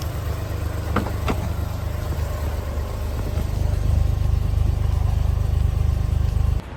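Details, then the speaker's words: Mazda RX-8 rotary, sat a year, new coil packs, plugs and wires changed nothing: low lumpy uneven loping idle; owner suspects one rotor not firing and the other with low compression, unconfirmed. "it definitely sounds like one rotor isn't firing and the one that is the rotor that is firing um has low compression"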